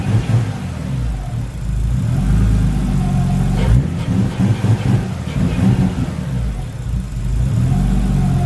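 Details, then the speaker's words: Nissan R33 Skyline after fixing idle that was hunting and nearly stalling: engine climbs and drops smoothly through repeated revs, then holds a steady idle without surging; revving much nicer, runs clean. "it's revving so much nicer now can you hear it so if your revvit is not going to stall"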